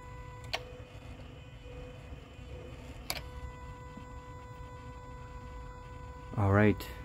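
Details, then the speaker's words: 2001 Jaguar XK8, engine off with key in ignition position: constant mid-pitched electrical buzz from the throttle body area under the hood, cabin circulation fan also running unbidden; cause not yet known. "I'll turn the ignition to the second position and I'll take you to the engine compartment so that you can hear uh it's like a constant buzzing coming from the throttle body [Music] area"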